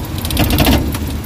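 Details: Suzuki DA64/DA63 with air-con on, no check-engine light: rough, uneven idle with heavy irregular shake; misfire from oil-fouled independent ignition coils, number one coil found weak.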